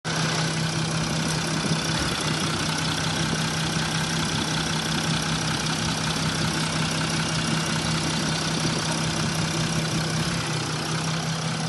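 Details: Mercedes S-Class W222 with OM642 diesel idling unevenly with a steady knock about twice a second, louder when warm; a connector had popped off an injector (third or second), making it fire intermittently.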